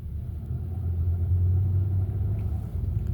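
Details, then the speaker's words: Car with engine warning light, reduced power, no acceleration above 100 km/h; engine oil pressure low and oil pressure sensor range codes stored: deep, uneven rough rumbling engine sound wavering about three times a second instead of running smoothly. "출력 제한되었고 가속 안 되고 소리도 부릉부릉이 아니고 부그릉 무그릉 그릉 그릉 이런 소리가 나니 천천히 들어가야 봐야겠어요. 들어가던 중 경고등은 사라졌으나 소리를 잘 들어 보시면 그렁그름 소리가 나요."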